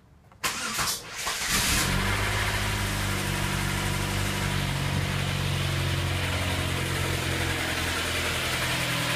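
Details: 2005 Pontiac Sunfire, 2.2L Ecotec inline-four: engine cranks, starts and settles into idle with a light, quick ticking rattle; timing chain stretch, tensioner or guides suspected.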